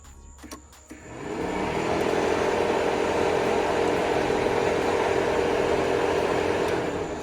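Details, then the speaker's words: 1989 C4 Corvette with TPI L98 engine, ignition on, auxiliary fan switch wire grounded by hand to test: the fan spins up into a steady, even whoosh with no rattle; the auxiliary fan works normally. "there we go so that is simply how this works when it grounds out when that line grounds out it turns on the auxiliary fan"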